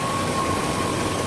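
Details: Ford F-250 with a newly installed replacement engine, idling before a test drive in wet, rainy weather; coolant at max line, no pressure yet. Steady, even idle with no knocks, misses or hunting, only a soft background hiss; the engine sounds healthy.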